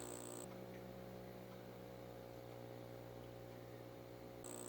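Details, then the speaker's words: Aquarium air pump after quieting fixes, sitting on a glass table: low, even electric hum with a soft steady buzz and no rattle, only slight vibration when touching the glass; far quieter than before. Normal air pump hum. "oh listen to that just air you get a little vibration if you touch it right to the glass table but even then not bad at all that is a lot more bearable than what it was before"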